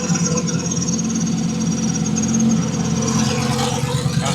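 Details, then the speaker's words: Twin-turbo 1000+bhp Lamborghini Huracan V10 on MoTeC, broken at Supercar Fest: uneven, lumpy running with no steady rhythm; diagnosed as a failed high-pressure fuel pump starving fuel delivery. "It's running like a bag of shit, but can you hear that? Yeah? So it's that fuel pump. It's the high pressure fuel pump."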